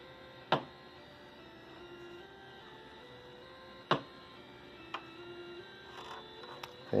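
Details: Commodore SX-64 playing a musical scale from the owner's guide through a known-good 1702 monitor, volume at maximum: only a faint stepped scale barely above the hum with occasional loud pops; faulty SID sound chip.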